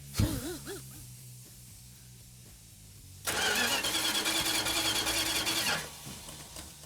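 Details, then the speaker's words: Classic car on its first cold start attempt, distributor not yet set: the starter chugs steadily for a few seconds but it never fires because no fuel has reached it; a fuel leak is found afterwards. "Hey, Mark, it's not firing. Well, there's no fuel in it."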